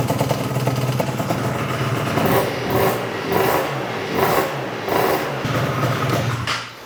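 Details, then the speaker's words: Yamaha BWS 100 scooter with Malossi 125cc kit, idle screw almost fully in: two-stroke idle swells and sags about every second, rich off throttle; blocked pilot jet, idling on main jet. "I think we need to go a bit leaner, quite rich on the bottom end. So, carb off. Now it's blocked. It's been idling on the main jet, and the reason why I know that is because it was only idling with the idle screw all the way in."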